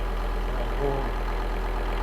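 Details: Volvo V70 D3, 617,000 km, after replacing the seized alternator freewheel clutch that had snapped the serpentine belt: steady five-cylinder diesel idle clatter, even and settled with no belt-drive rattle; running normally.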